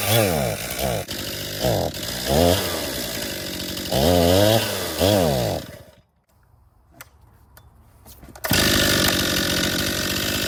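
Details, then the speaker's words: 2018 Stihl MS261 M-Tronic construction chainsaw, hard to start and boggy when hot, started with throttle held open: surges and sags in uneven bursts, revs wander, stops and restarts; bogging, fuel starvation suspected, not confirmed; strong spark verified. "[Music] I think it's starving for fuel."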